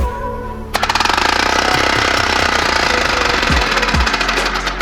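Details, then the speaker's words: 3D-printed 4-stroke compressed-air engine run at 60 then 40 psi: hissing, then quick even chuffs about four a second, steady once running. It works properly but dislikes low pressure and has to be rotated to start at the right moment. "no freaking way it does it does not like low pressures that's for sure which is a little unsettling but dude it freaking worn let's go 40 psi"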